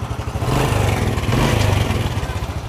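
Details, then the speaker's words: Honda Supra Fit single-cylinder, started after fixing a no-spark ignition fault: uneven idle with a light metallic clatter on each beat, louder as it revs, and the engine smokes; cam chain rattle from a worn, slack chain. "motor udah hidup Nah dari suaranya motor ini sudah bunyi rantai ketengnya motornya juga ngasep"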